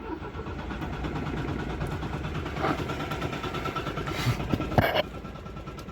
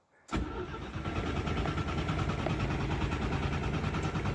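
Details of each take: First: 1974 Citroën GS Spécial, long stored, first ignition in years while on jack stands with the choke connected: the starter churns and the engine spins freely but never fires. Fuel delivery is unverified. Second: Citroën GS Spécial (1974) under restoration, cranked with the fuel tank out: strong, even cranking at a steady speed with no grinding; the starter is healthy, but the engine doesn't start, and it's unclear whether the fuel pump is delivering.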